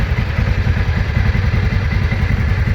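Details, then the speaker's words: TVS Ntorq 125 BS6 scooter at 18,600 km, after repair of a worn gear, held on throttle: steady even engine beat, smooth drive noise, no rattle or slip; sounds like a new scooter, normal CVT running. "पूरा नया sound हो गया नया गाड़ी है दोस्तो"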